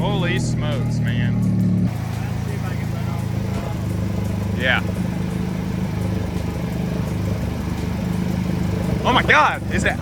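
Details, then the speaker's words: Mazda RX-7 FB GSL-SE rotary, start attempt after sitting about 16 years: revs unevenly on held throttle, then drops to a ragged, lumpy idle, getting smoother but still rough; owner thinks the idle air could use cleaning. "it's getting smoother uh it sounds like crap"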